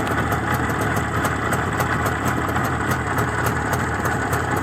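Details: Izh Jupiter 5 two-stroke motorcycle engine after balancing, idling after about 2 litres of fuel: steady, even idle with light regular top-end ticking and no return of the feared piston knock or ringing, which was traced to factory piston taper over 0.3 mm.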